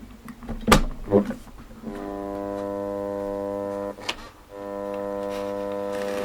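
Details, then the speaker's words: FM/DAB receiver plugged in and turned on: after a couple of clicks a steady low buzz comes in, drops out briefly and returns, unaffected by the volume control. Intermittent buzz, cause unknown. "you'll hear that buzzing which comes and goes it's there despite whatever you do to the volume"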